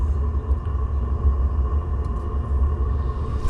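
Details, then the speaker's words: Vevor 3kW diesel heater under a UK camper van starting up: low, steady rumbling exhaust puff with a faint constant whir above it, burning evenly; from inside only a little whir is heard. Normal startup. "You can just hear it whirring away, but when you're inside, that's literally the most you can hear, just a little whir from it."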